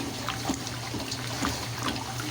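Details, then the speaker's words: 1957 solid-tub Speed Queen washer keeps trickling water into the tub after the timed fill has elapsed, a quirk of the machine; owners guess it may make up for water splashed out early on, but that is not confirmed. "The time fill has elapsed. The time amount has filled. Okay, and why is it still filling? Just a little weird idiosyncrasy of it."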